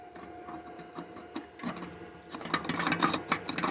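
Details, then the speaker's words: Broken catalytic converter removed during exhaust replacement, shaken by hand: loose gravelly rattling in uneven bursts as the burnt-out core knocks inside; owner thinks it contributed to power loss and overheating. "yeah it's not supposed to do that so this cat I had a little broken like that side seems okay but it's all burnt out in the corner there and this thing's just shaking [ __ ] out of it so that one's definitely broken"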